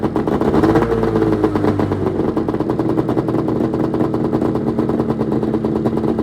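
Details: 1996 Arctic Cat ZRT 600 two-stroke snowmobile after fuel pump rebuild: crisp rapid crackle settling into even, steady run after cold start; normal running.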